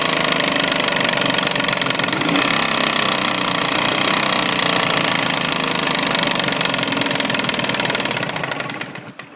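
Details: Jawa 638 two-stroke twin, hot: sharp fast rattling knock about four a second; appears only once fully warm, first under load then constant after about 5 minutes; pins' cages, cylinders, rings replaced and head clearance checked without cure.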